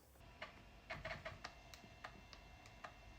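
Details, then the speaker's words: Compaq Contura Aero 4/33C with replacement floppy drive on hardwired PCMCIA adapter: irregular quick ticks and short buzzing seeks while booting; normal floppy drive operation. "Oh, and how it works. System just boots up fine. That's awesome!"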